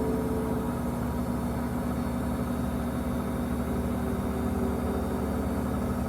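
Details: Five-month-old Samsung 2023 WW25B6900AW/A2 front-load washer buzzing since the first month at about 70 dB, louder when draining with no water; steady low droning buzz with constant mid-low pitch, source not identified.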